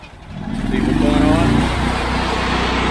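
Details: Honda IGX800 EFI engine on a pressure washer, started cold with the ball valve cracked open; it pulls up, then sags and runs rough once the pump takes load: bogging from failing ignition coils, before modified-coil replacement.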